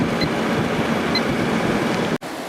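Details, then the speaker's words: 2003 GE 12,400 BTU Samsung-made air conditioner after cleaning, compressor running and pressure building, rising to 8.2 A and 960 W: steady compressor and fan hum with a soft whoosh, no rattles or cycling; running healthy. "The pressure sounds good. And like I was saying before, this one uses the same brand of fan motor as the Samsung air conditioners do."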